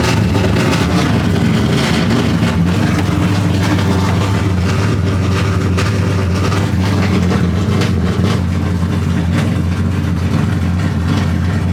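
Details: Drift car at VIR after two days of clutch and throwout bearing repairs: strong, even low engine drone with small throttle blips; idles cleanly with no grinding or chirping, and the clutch works.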